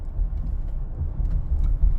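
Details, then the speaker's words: Minivan test drive after rear repair (there was a scraping rear noise before). Cornering that loads the left side gives only a low, even road rumble, with no bearing growl; the noise is gone. "you could really hear it when you load it up the left side. And it's gone."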